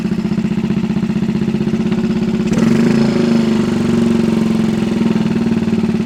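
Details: 1964 Honda Super Cub CA102 after full top-end rebuild: even single-cylinder putter, steady firing with a brief throttle lift, no misses or knocks; healthy. Throttle cable questionable.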